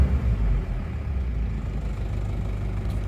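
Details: Isuzu Panther diesel with automatic transmission, cold morning start; deep, uneven lumpy idle and thick exhaust smoke; worn engine with blow-by, oil likely entering intake manifold and burning.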